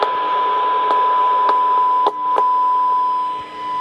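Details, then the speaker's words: Icom IC-707 receiving AM on 7.2 MHz from a Rohde & Schwarz CMS33 test set, 1 kHz tone, RF level being raised; clean steady tone with low hiss and a few brief clicks, normal receiver audio, no problem. "As you can see there, no problem. So that's AM receive on 7.2 megahertz."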